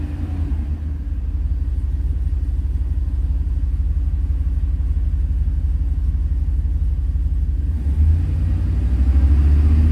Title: Truck misfiring 2001 5.3 LS